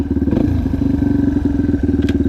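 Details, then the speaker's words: Yamaha TTR230 uncorked and rejetted: starts easily and single cylinder thumps at a quick, slightly high but even idle with no popping or misses; decel pop and hesitation gone, carburetion dialed in. "First, look how good she starts. Can't beat that. You put the idle a little high."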